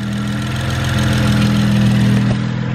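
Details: BMW 335i (E92) with earlier misfire codes, owner suspecting faulty coil packs, codes cleared, all injectors plugged in, stock map and boost: steady, even idle hum with no stumble or knock; sounds normal at idle.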